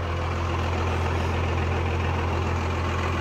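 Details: Cummins 12 valve diesel, rebuilt .040 over, timing ~16°, injection pump ~20k old: deep heavy idle with uneven lumpy beat, misfire; runs fine after sitting, worsens after driving or revving until it dies; seems to run smoother with filter drain valve open; cause unidentified.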